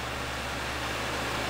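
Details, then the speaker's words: Two Gainward GTX 580 Phantom 3GB cards in SLI under Folding@home load, both cores near 100%, fans at 80%, top card 85°C, microphone held close to the cards; steady even rushing air with faint low hum, no ticks or grinding, normal fan noise. "so I'm just going to take the camera off the tripod and give you a close listen to the cards um no doubt you can hear them from here but I'll put you right up close so this is with the fan speeds at 80%"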